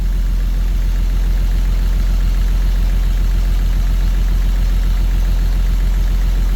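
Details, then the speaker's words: 1934 Chevy 4-door sport sedan barn find, first start in 23 years: steady, even low idle at about three and a half pulses per second with no knocks; possibly a slight lifter tap; normal idle. "wow that thing runs fantastic I can't believe how good that thing runs listen to that thing that's unbelievable unreal guys unreal might be a little lifted tap"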